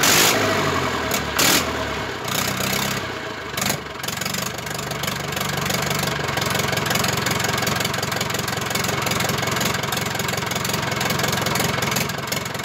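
After a few rough catches the diesel settles into a steady, even clatter at idle with no knocks; healthy engine.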